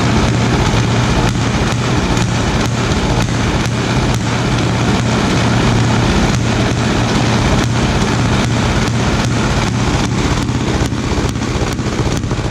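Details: 1936 Caterpillar RD7 crawler, pony starting engine just rebuilt from parts units after water seized it, first start: loud, even chuffing at roughly two to three beats a second with no misses; normal running.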